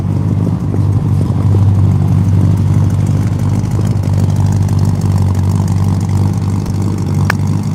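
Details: Car with original 383 V8 and three carburetors, restarted after running dry of fuel: deep, steady lope at smooth even idle, no knocks or misses; healthy running.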